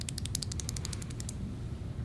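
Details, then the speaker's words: Chrysler/Jeep V6, low mileage, with aftermarket rockers: spinning the worn rocker arm roller by hand gives a quick run of dry, rattly clicks. The worn roller, not the lifters the customer replaced, was causing the ticking. "that all worn out was the ticking sound it wasn't the lifters we could have left the lifters alone"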